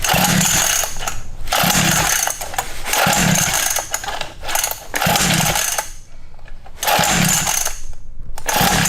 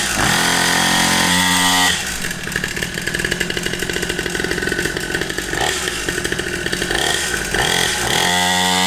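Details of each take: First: Cheap Temu 49cc two-stroke pit bike, new, on choke: repeated pull-start bursts about every second and a half, engine turning over but never catching because the key/kill switch was off. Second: Cheap Temu 49cc two-stroke pit bike, brand new and just started: high, buzzy note revving up and settling back repeatedly, crisp and steady like a chainsaw, running clean.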